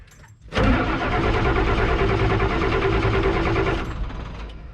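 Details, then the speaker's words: Old Ford F-Super Duty 7.3 IDI diesel that briefly started then died: steady starter churning about three turns a second for three seconds, never catches; cranks without firing, owner suspects lost prime or out of diesel. "i think it i think it might have lost its prime or it's out of diesel completely"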